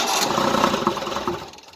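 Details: 1988 Tennant 255 Series II sweeper after fuel line replacement: steady rapid cranking, about five pulses a second, never catches and fades; it pumped fuel at first then dried up, fuel pump suspected.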